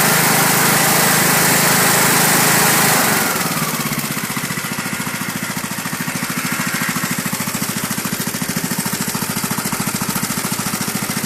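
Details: Briggs and Stratton 31Q777-0215-E1 lawn tractor engine after cylinder head repair for dropped valve seat and valve clearance set; battery a bit low; brief crank, catches and runs steady and even; healthy.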